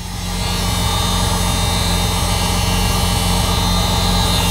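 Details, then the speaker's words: 1978 Datsun 280Z, first running in 30 years, injectors firing, at idle: constant high buzzing whine over the engine from the fuel pump, unusually loud, whether normal is unknown; loud fuel pump noise. "Let me know if this is like normal, but this fuel pump is like going crazy right now."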